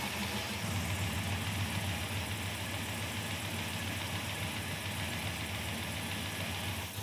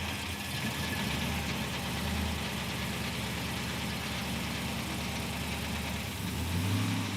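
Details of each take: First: 1940 Chevrolet Coupe gasser, off the road about 40 years, started with new radiator, fuel and water added, fuel pump working; steady even idle, smooth low hum, no death rattle or knock: normal idle. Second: 1940 Chevrolet Coupe gasser, off road about 40 years, idling in park with listener at the bottom end; low steady idle with light rattle, possibly from the cable torque strap around the motor mount.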